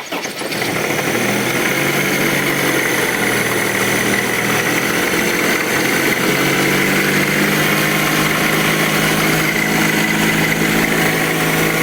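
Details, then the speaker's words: 2004 Honda CR-V, K20 2.0 petrol engine, first start: busy metallic rattle at idle, likely the timing chain and possibly the oil pump chain, from chains not changed on time. "в общем грешим то что здесь тарахтит цепок и наверное машиного насоса скорее всего очень похоже"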